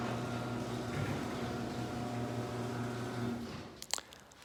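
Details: Garage door opener after lubrication: smooth steady motor hum with an even tone for about three seconds, then a stop and a few clacks. It used to be loud and is now unbelievably quiet.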